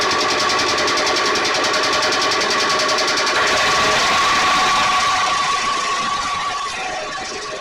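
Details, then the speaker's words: E-Z Go golf cart, believed 1987, 2-cycle engine with starter-generator, not yet warmed up and running a little lean; buzzy note rises and holds under pedal with faint regular patter, then trails off; poor throttle response, owner suspects jetted carburetor needs taking apart. "It is running a little bit lean, or so when I started it, but it hasn't been warmed up yet."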